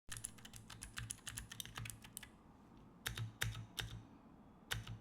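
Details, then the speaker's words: Keychron keyboard before the nano tape fix: uneven typing clacks, and heavier spacebar strikes ring with a thin, hollow metallic ping. Hollow spacebar ping, which nano tape is then used to dampen. "Ooh, I don't like that ting. We're gonna try to fix it using some tape."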